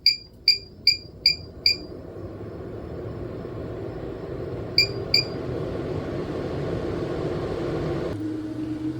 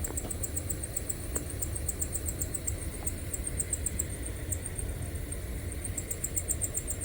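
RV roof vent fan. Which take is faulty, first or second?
second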